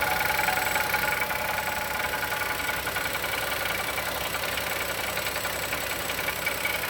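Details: 2020 Chevrolet Onix naturally aspirated, new engine, first cold start in the morning: a light, fairly regular ticking knock at roughly two to three per second over a thin hum; owner suspects piston pin or valve lifter, unconfirmed.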